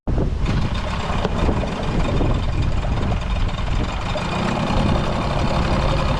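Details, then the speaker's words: Outboard motor at idle after replacing a corroded, salt-clogged thermostat that had impeded water flow, idle reset from slightly high; steady, even, quiet idle with good water flow, no knocks or misses, running normally. "up get good water and idle it's pretty quiet"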